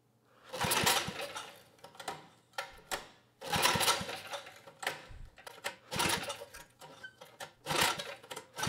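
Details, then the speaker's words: 1980s Troy-Bilt Junior tiller, 3 hp Tecumseh HS35 engine, main jet opened one turn: catches in short ragged bursts then sags and stumbles, carb barely working; governor did close the throttle plate. "okay well the carbs not working too well anymore but the governor did close that throttle plate"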